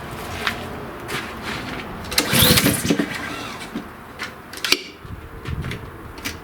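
A sharp burst as the small engine catches, then uneven popping settling toward idle; the mower now starts.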